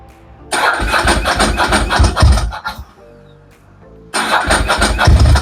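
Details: 25-year-old Ducati 900 FE air-cooled twin on Mikuni carbs, first start after Dynojet kit fitted with free-flowing air filter, pump primed, on choke: starter whirrs, catches with loud uneven burble, dies, refires and runs lumpy but strong.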